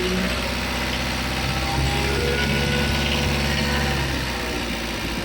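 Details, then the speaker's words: Mitsubishi Adventure diesel, long overdue for an oil change, with a noisy engine and hard starting: idle raised to a slightly fast, even clatter with no stumbles while injector nuts are loosened to bleed air from the injection pump. "Pag pinalabas niyo nga yung hangin dito sa injector taasan niyo yung menor para yung hangin dito sa loob ng injection p o sa liga niya matanggal."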